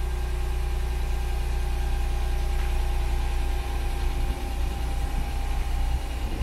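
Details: Lexus IS200 after replacing the rear muffler with a non-original replacement, started in a parking lot: even, smooth idle with a steady low drone and light blips, no rattles or blowing leaks; the exhaust sounds healthy and sealed.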